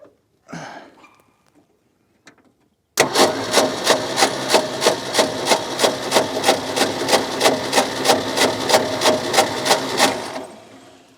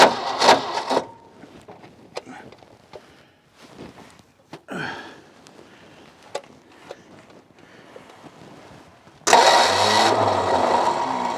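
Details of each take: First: Ford F600 ex-U-Haul truck, 359 FT engine freed after sitting locked up for 20 years: steady cranking at about three beats a second for seven seconds without a catch. No spark at the right spot; the points were then cleaned with sandpaper. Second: Ford F600 ex-U-Haul truck, 359 FT V8 freed from seizure, first start after 20 years with choke engaged and not yet drawing fuel from the tank. Clicks while cranking, then it catches and runs steadily, muffled, with no clatter or knock; owner wonders about a fuel-line vacuum leak.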